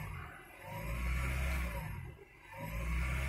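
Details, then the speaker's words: 2000 Honda Prelude SH (H22) with a cold engine surging at idle off the pedal, revs rising and sagging in slow waves about two seconds apart until warm; steady when rpm is held. Recorded before the fix. "but if I let it sit down at idle this is me off the pedal it just does this at an idle until it starts warming up and then when it warms up"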